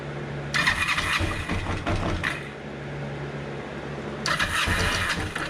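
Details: 2005 Kawasaki Ninja 500R sitting 10 years, first startup after carburettor work on a boosted battery: two starter bursts, engine catches, runs a rough second, then drops back; won't stay running yet, idle being adjusted.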